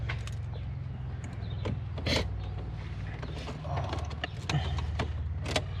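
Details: Toyota Surf KZN130 with 1UZ-FE V8 swap, engine off, checking ECU resets idle stepper motor at key on: quiet low stepping buzz with light clicks right after key on; stepper cycling through its reset normally, ECU functioning.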